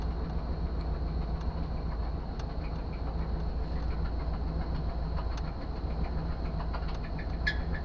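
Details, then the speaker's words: 1998 Suburban, sat 8 years, first running: heavy low rumble with uneven knock three or four a second, oil dirty and oil pressure low; sounds like a bearing going, not confirmed, stuck valve also suspected. "oh that does not sound good at all that sounds like a bearing going"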